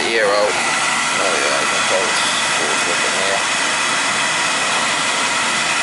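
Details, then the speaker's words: Oil boiler burner that possibly ran out of oil, run with a jumper on the control's FF terminals so it won't trip while air is bled from the line: a steady roar with a hissy top end. "now jumping out FF will keep the burner running just temporarily just so I can bleed it so it won't trip out on me"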